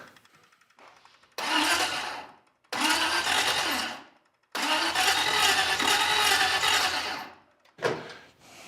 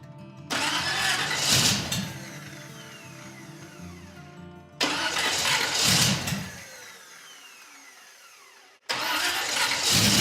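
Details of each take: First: Second-hand engine with exotic carburetors on a custom car, fresh first start: three bursts of slow, laboured cranking with a dragging, odd-sounding starter whir and no firing; slow cranking starter. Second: First start of a freshly built custom car's engine with exotic carburetors, after slow cranking and an odd-sounding starter. It catches with a rising roar, then settles to a smooth purring idle. Normal start, though it still needs tuning.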